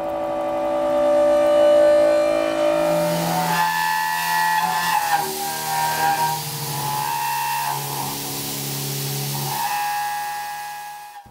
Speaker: for our purposes chatter is simply when a tool or a workpiece vibrates enough to give us surface problems and we and we definitely see that now